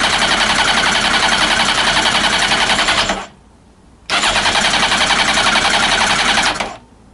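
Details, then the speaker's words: Old Honda CBR900 Fireblade (carbs), on full choke: two bursts of fast, even starter cranking, about four beats a second, with no firing; fuel starvation. "Give it a little bit more. I'll be surprised if there's no fuel in the carbs, but okay."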